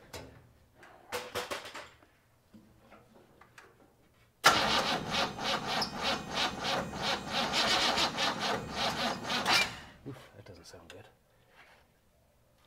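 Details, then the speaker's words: 1957 GMC 100 pickup, first start after sitting many years, fuel poured into the carburetor bowl without a fuel line: cranks, catches and runs about five seconds with an uneven, lumpy pulse before dying; tired engine with some valve-cover vent blow-by, cause unconfirmed. "it doesn't sound good though the motor doesn't sound good so she's War she is definitely beat"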